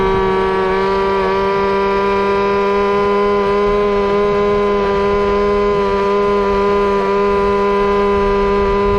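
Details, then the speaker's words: Bigfoot RC truck with small two-stroke engine on a top-speed run, about 28 mph; steady high-revving scream held flat at full throttle with a thin sharp edge; owner thinks the needle went slightly too far lean and will richen it. "so i think we're about maxed out for this thing um i'm gonna richnet up a little more because it was i think we went just too far lean"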